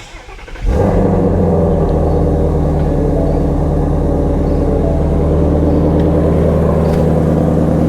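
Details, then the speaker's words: 2018 Ford Mustang Shelby GT350 V8, manual, salvage auction car: quick crank, then a deep, steady idle with even rumble, no misses or knocks; normal start and idle, sounds healthy. "she sounds healthy sounds real healthy"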